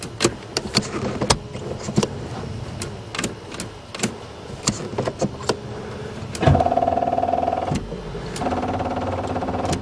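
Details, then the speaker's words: Buick Regal after sitting over winter, newly installed battery: scattered dry clicks and brief weak whirr, engine never turns over; battery too flat to crank, failed over winter. "oh that bad batteries well now I know which batteries survive the winner it ain't this"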